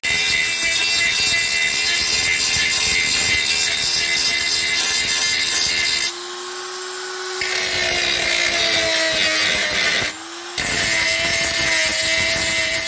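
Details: Parkside PGS 500 A1 die grinder, 500 W, 220 V brushed motor: high steady whine with rough scraping bursts as the bit bites, pitch dipping briefly under load; grinder runs normally.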